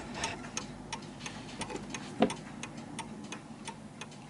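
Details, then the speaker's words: Vintage British Bentima/Perivale Art Deco 8-day mantel clock, heard up close while level: crisp, evenly spaced tick-tock about three beats a second, every beat alike — clock in beat, a perfect tick. "so as you can hear that's a perfect tick right now"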